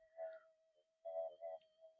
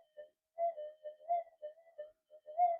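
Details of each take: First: Minelab SD/GP/GPX metal detector with a coil run in mono mode with the volume turned up: a faint steady threshold with a few soft blips and no deep burble, much quieter than the other double-D coil. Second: Minelab SD/GP/GPX metal detector with an 11-inch DD coil, running flat out in cancel mode: warbling, uneven mid-pitch threshold tones instead of a steady hum. The noise comes from a poor, non-symmetrical coil.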